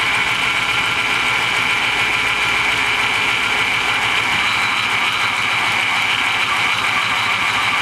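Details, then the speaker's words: Old GMC truck with 5.3 engine, left sitting with a rotted dipstick, runs loud and rough with a harsh rattle, banging and a chuffing note from a small exhaust leak. "just chooching right out of that little exhaust leak she was banging and rattling but it was running"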